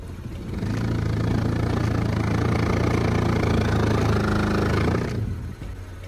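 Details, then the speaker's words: 2007 Lexus IS350: a steady low droning hum with a faint pulse comes up through the dashboard from under the glove box area for about four seconds, then cuts out; the blower turns on then shuts off. Faulty AC blower motor suspected. "right so i don't know if you just heard that but that's what it sounds like it sounds awful um it turns on and then it shuts off and i'm really hoping that it's that fan that we're gonna work on today"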